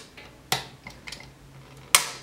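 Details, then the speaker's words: Paragon 8045 mechanical defrost timer (8000 series) on 208 V, manually advanced to 4 AM: two sharp, loud clicks about 1.5 s apart as the contacts snap into defrost, with 1–3 closing and 1–4 opening. "so let's see what happens between one and three no continuity and one or four we have continuity we're gonna hear the big click"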